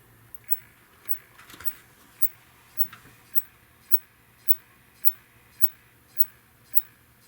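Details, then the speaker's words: Neotec 25-inch arcade monitor chassis (2515C) with no picture: the switch-mode supply ticks regularly, about 105 a minute, and is slow to start with B+ set to 125 V. Starts quicker at 108 V but keeps ticking. Main filter capacitor suspected. "but if I lower the B plus to 108 then it'll fire up somewhat quickly but it still does this ticking thing"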